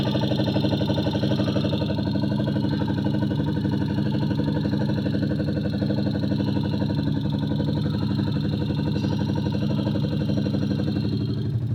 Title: Valve clearance or engine knock